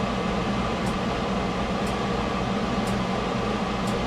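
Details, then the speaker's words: Ford Escape after warranty AC compressor replacement: steady, even whir over the running engine with no grinding, rattle or squeal; normal AC compressor operation. "Well, all right, Ford Escape, AC compressor, warranty, done."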